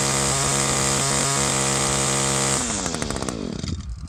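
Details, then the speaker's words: Echo 2-stroke line trimmer before high-speed mixture adjustment: runs rough and burbly, four-stroking with uneven stutters and occasional smoother, higher-rpm bursts, then winds down. High-speed mixture is set too rich. "I hope you can hear that but it has sort of two tones to it there's a there's like a rough sort of a four strokes down and every now and again it kind of kicks up and raises the RPM a little bit to a little smoother sound that's where we want to be with this thing right now it's running a little bit too rich"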